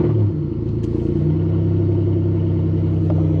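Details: Toyota Celica GTS-R with 2ZZ engine, cold start: low, chuffing, uneven idle rumble at about four pulses a second; suspected exhaust leak around where the downpipe meets the mid-pipe, booked for exhaust repair.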